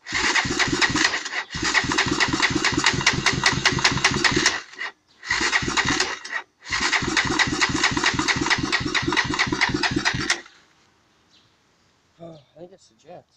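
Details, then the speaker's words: Honda TRX300EX quad that previously ran fine: three long bursts of steady chugging cranking without catching; cranks but won't start, cause unknown. "anyone know what's wrong with this little start and then it won't"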